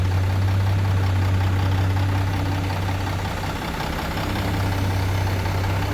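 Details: Deep, steady diesel idle with an even low rumble and no knocks or misses from a heavy International ("Binder") truck fitted with a new remanufactured Cummins N14; the engine sounds healthy.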